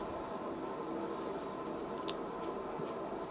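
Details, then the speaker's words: Rear drum wheel bearing on a 1997 Renault Twingo 1, protective cap lost so grease and dirt got in; steady droning purr while driving, heard inside the car, a worn bearing before replacement. "donc quand ça fait un jour ne ronronnement en général c'est que le roulement est fatigué"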